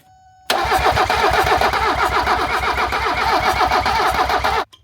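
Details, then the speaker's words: 1978 Mercedes 300CD with swapped 1984 OM617 turbo diesel and new injection pump; steady starter churn about four beats a second, no catch yet, but starting to smoke, so fuel is arriving. "But it's starting to smoke a little, so Is that a good sign? I mean Yes. it's getting a little fuel. If it's starting to smoke, it means it's getting fuel."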